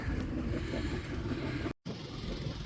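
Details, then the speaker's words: 55 hp sailboat engine idling just after a replacement starter was fitted: a steady low rumble with cooling water splashing at the exhaust outlet and a brief dropout midway, running evenly. Normal idle. "Oh yeah, there it goes. And there's the water coming out."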